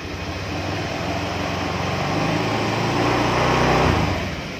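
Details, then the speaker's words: Honda Vario Techno 125 scooter, cold with radiator coolant at 35°C, started during ECU diagnostics with zero throttle: catches and runs with slow, uneven pulsing at three to four beats a second. RPM far too low; idle needs setting. "Nah, jadi ini RPM-nya terlalu rendah sekali ini. Nah, ini harus disetting ini. Ini kurang pas. Kalau RPM rendah cenderung seperti ini."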